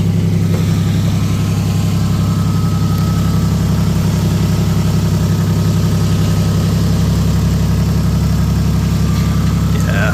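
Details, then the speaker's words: Toyota 1JZ-GTE in Nissan Silvia S15, about 2000 km after a poor rebuild, glittery metal found in oil; idling start with steady low rumble and uneven knocking, suspected bearing damage; engine knock, metal in oil. "um yeah pretty much confirmed there is much glitter in the oil so that [ __ ] sucks"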